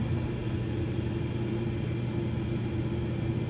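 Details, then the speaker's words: York Diamond 80 gas furnace on a no-heat call: stat clicks, inducer runs, igniter glows, ignition; burner fires with a steady even low roar, no pulsing or rattles, normal operation. "Stat clicked. I hear an inducer. Inducer's running. And we have an igniter. And we have ignition."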